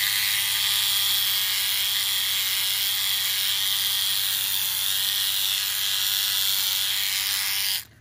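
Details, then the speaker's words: Pre-charged cordless cutter with two small plastic pieces broken off: thin, raspy high-pitched buzz held flat for eight seconds then cut off; weak, harsh running that doesn't cut properly, possibly a damaged blade set, unconfirmed. "it doesn't cut properly either well that is horrendously weak"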